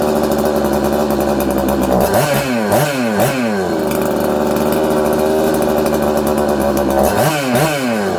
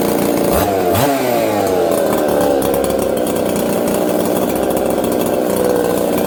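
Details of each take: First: 266XP chainsaw, previously had air leak behind flywheel (crank seal keeper) fixed, pressure/vacuum test passed; revs zing up, sag to about 4000–5000 rpm, nearly die on throttle then recover, loading up with fuel like an air leak; surging from faulty carburetor. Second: Husqvarna 266XP chainsaw after fitting a carburetor taken from a 385, stone-cold start: fires, revs briefly, then settles into a steady, even idle with no hunting or stalling and runs properly.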